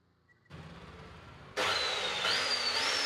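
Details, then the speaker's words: Bosch cut-off saw (rod cutter) that would not run, carbon brushes not contacting the armature; after fitting new carbon brushes, motor bursts up to speed with a steady high whine, even and uninterrupted; normal motor run. "ஓடுது. இப்ப பிரஷ மாத்திட்டோம். மெஷின்ல வந்து இதுக்கு அப்புறம் armature இப்பதான் தெரியும்."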